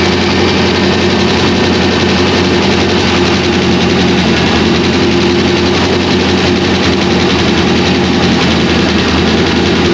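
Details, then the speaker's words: 2001 Trans Am WS6, 500hp LS1, first start since engine-dyno break-in, untuned with stock injectors and mass airflow sensor, GoPro audio: a loud, deep, constant V8 idle with a rough, choppy edge, a normal big-cam lope. "yeah now you can hear the chop there's the chop baby so there it is folks it's alive"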